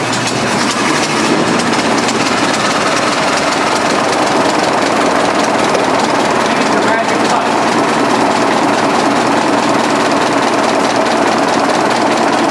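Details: 1920s 45 hp General Electric genset, serviced after over 10 years unrun, just started at half choke with governor being adjusted: busy, clattery but even beat holding steady speed, no misses or knocks; sounds healthy.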